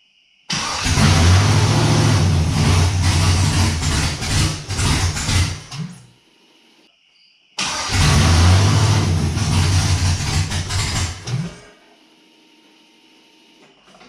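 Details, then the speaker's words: Cold LQ4 V8 in a 1985 Pontiac Trans Am, retried after fixing it pulling too much timing when cold: two starts catch and run rough and choppy for seconds, then die faster; timing looked good, suspected something else pulling timing; lean misfire stall. "uh the timing looked good there okay but now it seems like it's dying off faster"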